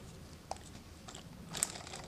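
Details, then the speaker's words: Gatling Stirling engine with six displacers, after the dirty hot end was disassembled, cleaned and reassembled with its O-rings. Hand-tested one by one in a quiet room, each gives light crisp clicks, snapping freely with no binding: healthy. "okay all six are working after putting this together those displacer sound like this snapping around they're pretty good"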